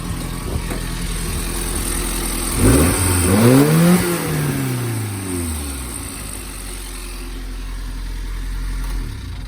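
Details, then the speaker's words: Japanese mini truck after rebuild with new timing chain cover: engine revs once and settles to uneven fast idle with vibration, owner suspects timing chain rattle, ignition timing possibly still wrong; tick less than before. "It still sounds kind of vibrating, but that sounds more like timing chain rattle than it did before. I think our tick last time was way worse."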